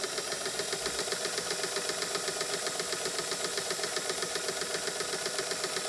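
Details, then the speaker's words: Scottish-made vintage Singer sewing machine with a 0.95 A motor, after lubrication: a quick, regular stitching clatter at an even, improving speed, so it is now running freely and normally. "We're even getting better speed out of her now because the raceway is the end point with the needle bar as far as where all of that kinetic energy is being transferred from that 0.95 amp motor. She's starting to pick up already."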